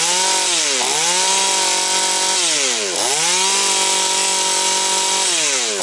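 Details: Husqvarna 240 chainsaw, mixture leaned to 2 and 1.75 turns, idle raised: three sharp rev-ups to high steady whine, quick clean drop each time, no air leak. Normal running.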